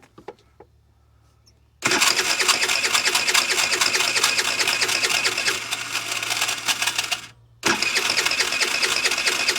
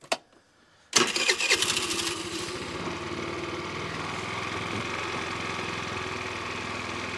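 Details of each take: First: 50cc Ice Bear trike scooter: the starter whirs for several seconds, pauses and whirs again, but the engine never catches. A broken or zip-tied vacuum line near the carburetor is suspected of causing a vacuum leak. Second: 50cc Ice Bear trike scooter after the leaking vacuum line near the carburetor was blocked off with a bolt: brief crank, then it catches and settles into a steady, even idle. Vacuum leak fix confirmed.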